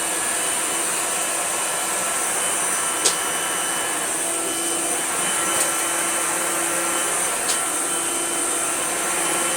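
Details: Orange Hoover Celebrity S3005 vacuum after restoration and rewiring with new ribbed cable, switched on to compare with when first acquired: even steady motor roar with smooth high whine and few faint clicks; runs healthy.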